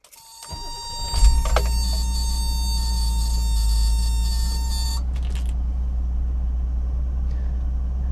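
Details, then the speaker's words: 1984 BMW 533i (E28) at operating temperature after fitting a rebuilt idle control module: surging and hunting gone, idle now steady but too high at about 1100-1200 rpm. "the idle speed is still too high it's at around 1100 or 1200 and it should be below a"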